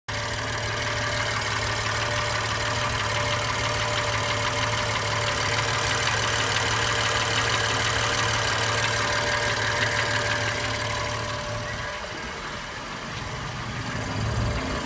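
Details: 2016 BMW M3 petrol engine at idle: low hum with a faint, fairly regular knock about three times a second; engine knock, cause suspected, not confirmed.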